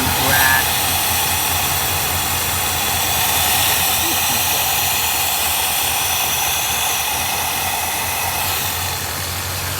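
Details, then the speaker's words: 1966 Ford Galaxie 7-litre V8 idling rough with loud hissy puffing from a big exhaust leak at the rear; the smog air pump also sounds close to failing; owner suspects a voltage issue, flickering light, and an intake vacuum leak too. "definitely has a nice big exhaust leak back here and the smog pump sounds like it's about to it's gonna break"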